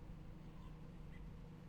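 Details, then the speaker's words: 2001 BMW X5 3.0i E53 with battery light on, owner suspects a failing alternator; after revving, idle stays high with foot off the throttle, a steady hum that doesn't drop back, easing down only slowly. "I don't have my foot on the gas pedal anymore and it's still there so supposed to idle like quicker than that"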